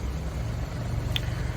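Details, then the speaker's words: Truck started cold, about 80°F outside, after 24 hours of curing an exhaust leak seal: slow deep even burble, exhaust a little quieter; idle sits really low when cold, cause not stated. "um I think it's a little quieter idle's really low and it's cold"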